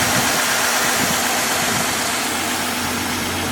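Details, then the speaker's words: 2016 Ford F-150 3.5 V6, once called locked up, idling after its first start while burning off fluid in the cylinders, possibly Marvel Mystery Oil: steady, light, smooth beat, no knocks or ticks, engine quiet; normal idle. "It smells like Marvel's mystery oil, so I don't think it is transmission fluid. But that engine is quiet."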